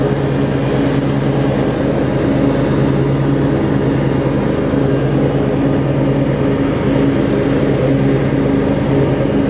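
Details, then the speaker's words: Craftsman DLT riding mower, 25 hp Briggs & Stratton V-twin, after carb cleaning and wiring repair, blades engaged: steady, even drone, no longer surging, occasional slight misfire or pop; runs and idles smoothly. "I don't know if you can hear that but it's running smooth now it was 30 million and the idol down it idles beautifully"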